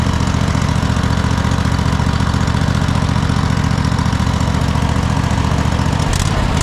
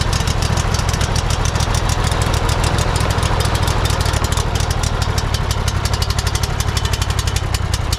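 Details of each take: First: Cub Cadet GT1554 V-twin mower, first run after sitting 10 years following a rollover, burning off residual oil as blue smoke: even, steady low thrum at constant speed with no knocks or hunting; normal running. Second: Cub Cadet GT1554 mower engine, sat years after rollover, first start attempt with throttle controlled: lumpy uneven chugging near 100 per minute then stalling, black and blue smoke; water contamination in carburetor suspected.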